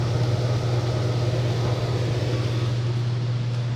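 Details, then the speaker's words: Vintage Lennox blower with new belt, heard from about 10 feet: smooth low hum and steady airflow rush, no slapping, squeal or rattle; belt still stretching slightly. Normal blower operation. "now it's a lot quieter and that belt's a little it's still gonna stretch around but it's it's doing pretty good and it moves quite a bit of air"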